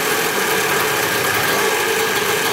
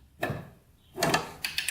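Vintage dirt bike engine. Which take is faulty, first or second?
second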